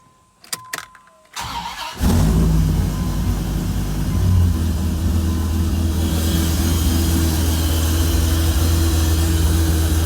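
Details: 1997 Dodge Viper GTS V10 after fuel pressure regulator rebuild for leak-back: brief crank, catches cleanly, settles into a steady, deep, even idle with no stumbles; normal start and idle.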